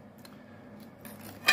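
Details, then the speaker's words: Used welder, faulty switch, no output on one setting: a single sharp click as the gas solenoid valve pulls in and releases gas, yet no current comes on that setting. "hört dass das gas freigeschaltet wird also das ventil zieht aber guck strom kommt keiner auf der stufe"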